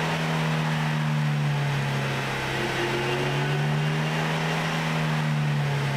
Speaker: Listen carefully to the whining noise on acceleration. The noise you are hearing is coming from the differential drive pinion bearings.